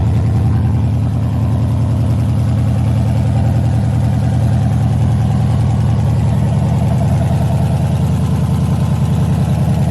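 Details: LS-swapped 1986 El Camino, 5.3 with Camaro heads, cam and LS6 intake, first fire-up on open headers with no exhaust yet; loud V8 with a choppy, lumpy idle that stays even without misses; normal idle.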